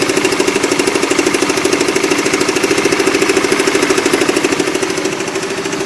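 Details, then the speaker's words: Motorcycle engine idling with fast, even clattering ticks about three a second over a steady idle, present for almost a year; top-end clatter, cause not confirmed. "Yaitu video pertama di saat mesin suara klotok-klotok dan sangat-sangat jelas, dan yang kedua adalah video di saat suara klotok-klotok sudah hilang."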